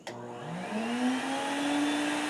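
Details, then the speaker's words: Shop vac used as a forge blower through a Harbor Freight router speed control (item 43050), switched on at a low setting, then turned up: whine climbs and settles into a smooth steady hum, no rattle or grind; normal. "is on a low setting. But when we turn it up, you hear the sound of the engine progressively increase."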